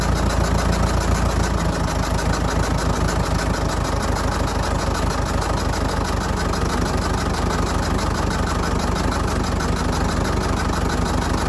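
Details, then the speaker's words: Old Fordson Major diesel tractor, revived after 20 years standing, air intake cap off: uneven idle about three pulses a second with some weaker firings; owner suspects it may be down a cylinder or just intake noise. "might be down a cylinder no it might not be could just be because i got the air intake off the top of it could be just hearing and sucking in"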